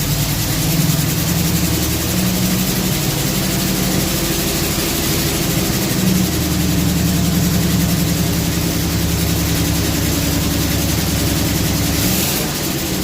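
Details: Chevy V8 stored since 2010, restarted after new carb, fuel pump, plugs and wires: loud, lumpy idle with an uneven beat and surging low rumble; rough running on the new carburetor, cause not found.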